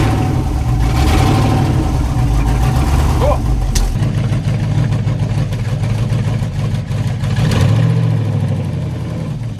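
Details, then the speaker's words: S10 drag truck, junkyard LS V8 with eBay cam, no fan hooked up, coolant at 178°F and rising: lumpy idle in gear sags and wobbles, wanting to stall; idle needs adjusting, cause not confirmed. "we got Gears hopefully we have all the gears and the shifts good you can hear it kind of wanting to stall out so gotta play with that"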